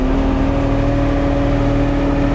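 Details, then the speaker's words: Kubota RTV with V5245 hand throttle kit: diesel raised from idle via hand throttle to a steady, even hum with clean whirring tone and no knocks; healthy at raised revs. "So if I start the engine up here and start cranking the hand throttle, you see I'm there from idle, and as I turn the thing up, you hear the engine RPMs raise."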